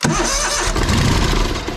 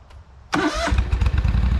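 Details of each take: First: Lesco zero-turn mower, Kohler CV20 20 HP V-twin, after charging-system repair for battery-not-charging fault; finicky starter: harsh cranking burst catches and settles into an uneven mid-pitch chug, starter hesitant before the engine picks up. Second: Lesco zero-turn mower, Kohler CV20 20 HP V-twin, restart test after charging-system repair: short crank, fires right away into a deep, even idle, then shuts off; restarts on its own battery for the first time in a year.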